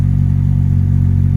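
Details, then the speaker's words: Ford Escort Mk3 XR3i cabriolet under restoration, idle: deep idle with faint stumbling unevenness, engine not firing cleanly on every stroke; slight misfire also on warm-up, plugs still to be checked; cause not confirmed. "dirty but it's okay on idle you can hear there is a misfire there"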